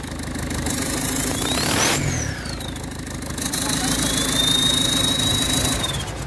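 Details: PSA engine fitted in a Mazda: loud high turbo whistle rising and falling with revs, then a steady shrill whine; turbo damaged after losing oil pressure and lubrication.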